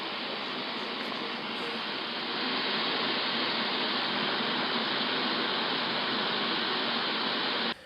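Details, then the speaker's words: Loud steady static hiss from the PC speakers after installing drivers for a new-old-stock ASUS 8600 GT graphics card; driver fault, cured by removing and reinstalling the drivers. "what wasn't cool was the noise that came from the speakers after installing the drivers but this was soon sorted out after i removed them and then reinstalled"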